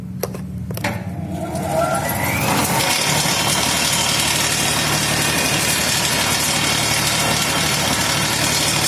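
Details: 1 HP electric motor powering a homemade table saw, started on household 1300 W mains through a homemade thermistor soft starter to prevent tripping: winds up smoothly over about two seconds to a steady, even whirr. Normal start.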